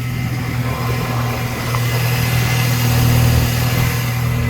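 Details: R53 Mini Cooper S first start after reinstalling new power steering lines, fluid topped up, no leaks, one wheel still on jack: steady, even idle, smooth low hum, no knocks, whine or pump groan; healthy.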